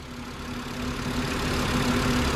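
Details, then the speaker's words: 2012 Volkswagen Passat bought at auction to flip, started on a jump pack with a battery about three years expired: even, steady idle with a smooth low hum, no knocks or ticks; engine sounds really healthy, normal idle. "yeah it sounds really healthy"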